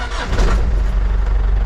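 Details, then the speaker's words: 6x6 Land Rover Perentie ambulance, Isuzu diesel, 12 V system, after replacing the dying start battery with a marine battery: fuel pump servo runs, engine catches almost instantly and settles to a steady idle; quick start, 14.5 V charging under alternator load. "that's a whole lot better starting than it used to be and battery volts are sitting nicely at 14.5 under the alternator load that's good means everything's charged"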